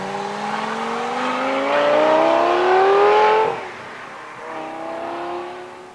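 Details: 2004 Lamborghini Gallardo V10 after the factory exhaust was replaced with test pipes and a Supersport X-pipe: sharp screaming howl climbing in pitch as revs build, dropping and climbing again, clean with no rattles; healthy exhaust note.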